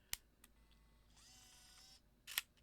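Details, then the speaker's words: Leica D-Lux 1 (first version, made in Japan) digital camera after a lens system error fix: soft clicks, then a smooth one-second whirring motor and a closing click as the lens cycles on/off freely without sticking. Repeated cycling relubricates the lens arms and gears. "Once I helped the little door open, It worked. I shut it off. I did it like 10 times, like just like you saw now. Turn it on, turn it off, turn it on, turn it off."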